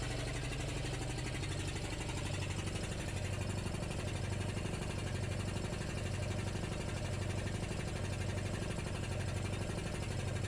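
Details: Homebuilt compressor with a belt-driven pump, aftercooler and water trap: even, rapid thumping at about four beats per second over a steady motor drone. Normal running; belt not slipping, pulley at 45°C.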